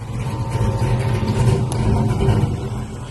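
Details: Box Chevy with freshly built new engine: low throaty rumble rising and falling evenly with revs, no knocks or ticks; fresh engine running clean.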